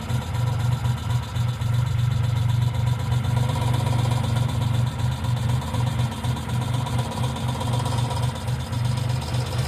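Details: 1995 Geo Metro at idle: a light, quick tick about four times a second rides over a steady low idle, likely from the lifters; B-12 fuel injection cleaner added to the engine oil before changing it.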